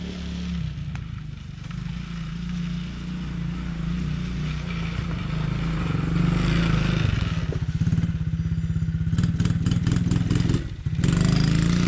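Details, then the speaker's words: 2017 Tao Tao ATA125D pit wheeler quad, reassembled after repairs: small single buzzes and rises cleanly with throttle without stumbling, some chassis rattle, no bogging forward or reverse; normal running. "You know, it doesn't run bad. Forward, reverse, there's no bogging. I can light off across the lawn there. Throttle response is smooth."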